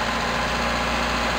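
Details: Toyota Tercel 4WD idling after timing belt, front crank and cam seals and used water pump replacement, checked for water leaks; smooth even idle, steady low hum, no ticking or knocking; normal idle.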